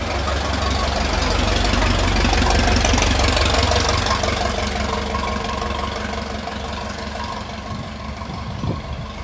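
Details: Restored 1921 American LaFrance fire engine pulling away down the street: an even, regular low firing beat fading with distance, no knocks or misses, a sweet-running old four; fine restoration, normal running.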